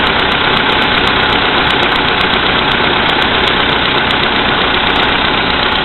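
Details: VW Polo Sedan, CFNA engine, 2222 km, cold start at -5°C after overnight; oil three marks below max, Lukoil 98 fuel. Fine regular tick over a hiss-heavy roar at cold idle; a knock from inside the engine, cause unknown.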